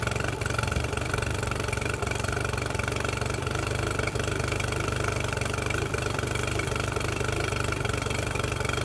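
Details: Mercury 9.9 outboard bought off eBay, test-run after an 8-9 week repair with parts from abroad. Steady low burble at idle with an even beat and no misses or knocking; it sounds beautiful and healthy.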